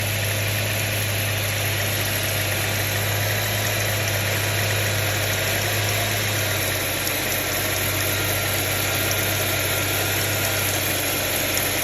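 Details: 2006 Subaru Tribeca H6 at idle: a fine, uneven metallic chatter over a steady idle; owner suspects timing chain noise, not confirmed.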